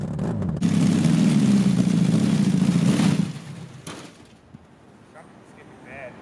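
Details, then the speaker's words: Half-scale NASCAR kart, engine freshly reinforced on its mount with new chain tensioners: engine pulls hard with rough slapping clatter about three times a second; drive chain skipping the sprocket under load. "already guys so I can't figure out why this chain or something is skipping so what I just did is I'm going to jack it up and I'm gonna right fire it up put it in gear and see if I can visually see anything that's happening"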